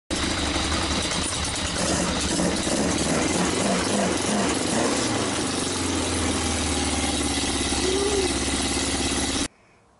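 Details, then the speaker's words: Yamaha XJ900S motorcycle on first start in 10 years: rough, uneven running with sharp irregular pops through the exhaust. Backfiring, cause not yet found. "we've got backfires"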